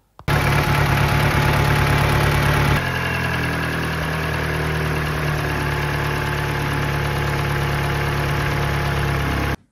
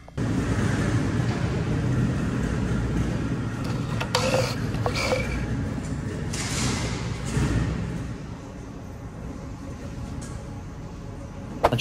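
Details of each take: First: Mini Cooper Valvetronic petrol engine runs on three cylinders from startup; idle is slightly uneven and lumpy with one cylinder misfiring, as number four cylinder's intake valve isn't opening despite fuel, a rare Valvetronic failure on one cylinder. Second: Mini Cooper with cylinder 4 misfire from failed Valvetronic (worn eccentric shaft receiving part), running with Valvetronic disengaged: steady even engine note, no stumble; no misfire, runs great.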